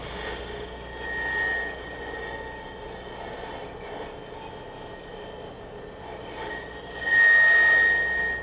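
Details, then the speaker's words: Woodturning walnut goblet on lathe with replaceable-tip tool, light passes: thin high singing note swells when tool pressed too hard; lathe tool chatter. "You can hear the vibration. If you push too hard, you get that."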